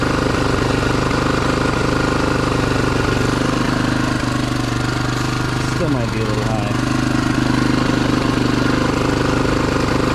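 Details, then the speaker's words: 1987 Honda XR250R after sitting over winter, idle screw turned down from a high idle: small single settles into a steady, even idle with a regular beat and no hunting or misses; idle now correct. "that's a better idle"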